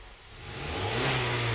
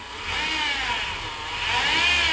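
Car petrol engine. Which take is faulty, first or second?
second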